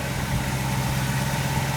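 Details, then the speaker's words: 1963 Ford Galaxie 500 idling warm at operating temperature during a coolant drain-and-fill, hot air coming from underneath, temperature gauge rising; smooth even low rumble with no knocks, misses or hunting, normal warm idle. "And you can see the water temperature is slowly but surely starting to rise there. The engine is up to operating temperature and things look good."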